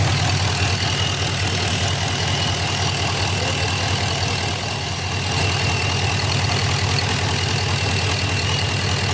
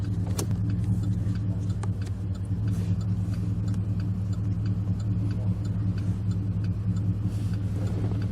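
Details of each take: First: 2006 Chevy Impala SS LS4 V8 with codes P0118, P0300, P0307; steady airy hiss over lumpy idle, vacuum leak heard at a line; long-term fuel trim had been 20. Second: 2006 Chevy Impala SS LS4 warmed up after spark plug service and repairs for codes P0118, P0300, P0307, codes cleared: steady smooth low idle with no knocks or misses; normal idle.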